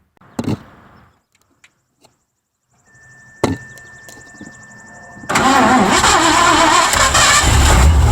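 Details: 1984 Mazda RX-7 with swapped Ford V8 (Edelbrock carb): sharp clicks and quiet cranking, then it catches and runs loud and rough after slowly advancing retarded ignition timing.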